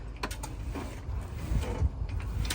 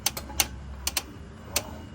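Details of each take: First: 2015 Tesla Model S steering after loosening and lubricating the steering rack bolts to fix clicking from the rack and tie rod area: steering turns quietly over a low hum, only faint ticks, no creaking or clicking. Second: 2015 Tesla Model S clicking when the steering wheel turns: sharp irregular dry clicks over low hum, traced not to the rack internals but to two steering rack mounting bolts; fix was loosening them.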